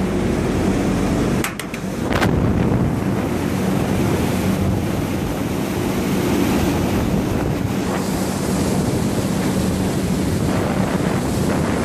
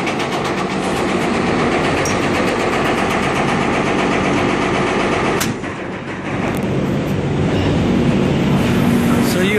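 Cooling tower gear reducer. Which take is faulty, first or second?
second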